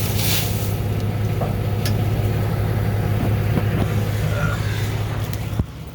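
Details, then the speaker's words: 2002 Chevy Silverado at key-on, phone near the fuel pump: steady low hum for several seconds then clean cut-off; normal fuel pump prime. "the fuel pump should run when you first turn the key to the on position so if you're in a pretty quiet place you should be able to just turn the key on and you can hear it running for just a few seconds"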